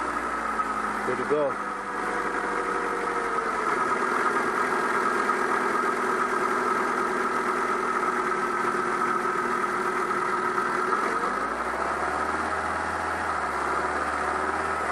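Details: 2000 Mazda Protege 1.6 at idle after a broken cylinder 2 spark plug (P0302 misfire) was replaced and codes cleared; smooth, even idle with a steady tone and no stumble, firing on all cylinders.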